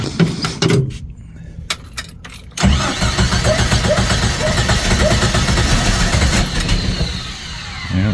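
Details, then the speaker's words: 1990 Jeep YJ 4.2L 5-speed, carburetted, choke set after pumping the pedal, with a new fuel pump: fires right up, then the starter churns with uneven catches that never settle; cranks but won't keep running. "fired right up sounds good oh oh oh oh come on keep running oh I guess we sucked all the fuel out of the the bowl"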